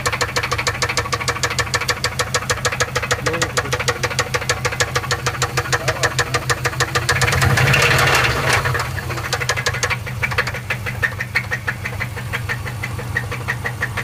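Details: Subaru Forester SF5 engine at idle: sharp regular knock about three per second over the idle, staying loud as revs rise; owner fears the engine is dead.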